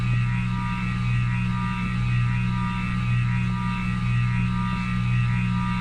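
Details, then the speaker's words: 52" King of Fans spinner ceiling fan after running for hours with the motor hot: loud steady low buzz pulsing about once a second as it turns; motor runs hotter than other fans, cause unknown (owner wonders about re-varnishing). "It's such a shame about the motor noise."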